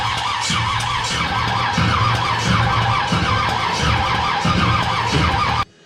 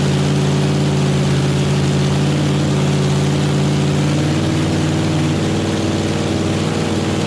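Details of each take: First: Chevy small-block nitrous drag car engine, first start attempt, fuel pump on, distributor wire untested: slow even cranking pulses about every half second with no catch; cranks but won't start, timing then advanced; cause suspected, not confirmed. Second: Chevy small-block nitrous drag engine, first start, cold, headers not yet built, good oil pressure: deep, steady V8 burble at an even idle, about three pulses a second, no knocks or misses; normal idle, needs carb tuning.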